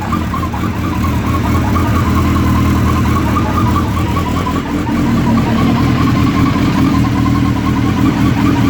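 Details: Suzuki Hayabusa idling from completely cold: steady mid-pitched whir over an even idle, same at any temperature per owner; cause not yet known.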